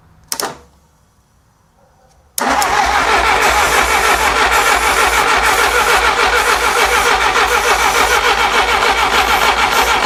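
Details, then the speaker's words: 1957 Willys FC-150 engine cranked with starting fluid: steady cranking for about eight seconds, never fires; the coil gets power, but the distributor sends no spark to the plugs because of wrong plug wire order and timing. "Nothing. [laughter] Okay. So, we're able to diagnose with a test light that the ignition coil is getting power and power is going through the ignition coil wire to the distributor. The part where we're having issues is the distributor is not sending power to the spark plugs."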